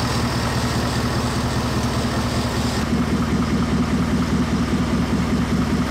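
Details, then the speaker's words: 2020 Ford F-150, 5.0 Coyote V8 with 10R80 10-speed, about 30,000 miles, aftermarket exhaust; smooth, even idle with cam phasers audibly adjusting timing, no valve-train tick or bell-housing typewriter noise; normal idle. "I don't hear anything this thing Purge like a kitten you can hear the cam phasers going adjusting the timing but um the engine sounds really really good"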